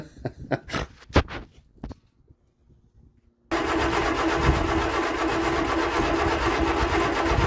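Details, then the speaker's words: 1975 Vauxhall Viva barn find with newly fitted Weber carburettor and Edelbrock intake: clattering, brief quiet, then engine holds a fast steady idle that never settles; high idle, owner plans to try 12 V feed to carb idle cut-off solenoid. "still idling really high right I'm going to try running a 12 volt feed to the carburetor the idle shut off solenoid"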